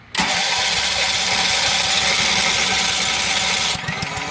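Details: RV onboard generator, long unused, carburetor being primed; the starter spins the engine at roughly three turns a second for several seconds but it never fires or catches.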